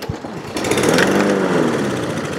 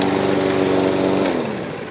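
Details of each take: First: Toro Recycler Vortex lawn mower, no-start after sitting: primed with combustible fluid through intake hole, engine catches, putters unevenly, then dies. Runs only on primer, confirming air, compression, timing and spark; fuel starvation is the missing factor. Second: New Toro Recycler Vortex lawn mower, after fixing no-start (ran last year), oil full: crisp, even high-speed single-cylinder buzz at steady governed speed, personal pace drive works, then winds down smoothly; running normally.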